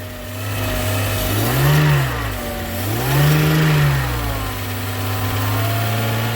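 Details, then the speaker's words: Mercedes-Benz W201 190E parked in a field since 2008, first start on starting fluid with throttle: catches, revs up and down twice, settles to steady idle with oil pressure, no ticking or knocking; sounds healthy. "I didn't hear any ticking any knocking didn't sound like anything was I guess trying to come out the side of the block so that's a good sign"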